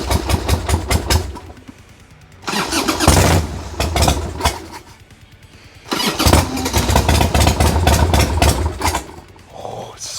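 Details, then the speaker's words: 1990 Harley-Davidson Sportster 1200 after 10 years in storage, with old gas drained, new battery and new plugs: two bursts of cranking with ragged firing that never catches, and lots of smoke. Owner suspects fuel: carbs need more cleaning. "a lot of smoke this is a fuel issue so either the carbs need to get cleaned out a little bit more"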